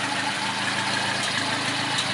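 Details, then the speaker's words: 1974 Ford Courier pickup, 1.8 L four-cylinder, swapped Weber or Holley carburetor, air pump removed, 4-speed manual: steady, even idle with no knocks, misses or whine; normal idle, runs pretty well. "It's not a Haas by any means, but it does run pretty well."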